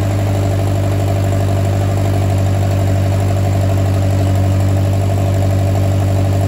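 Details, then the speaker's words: Oliver 550 tractor, first start in a reported 30+ years after ignition and starter rebuild, choked, run only seconds with no water pump belt: fires on the first key turn and holds a low, steady, even idle with no miss, rattle or hunting; runs like a top. "certainly did not expect it to fire the minute i hit the key that's literally the first time this thing has run in according to the previous owner 30 plus years"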